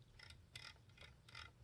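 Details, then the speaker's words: 2001 Kirby G6 vacuum motor after new bearings: dry ratcheting clicks when fan is turned by hand in normal direction, carbon brushes not seating on the commutator; owner plans to use a seating stick. "So I put new bearings on, and when I got everything realigned in there, there's something a little off with the carbon brushes touching the commutator."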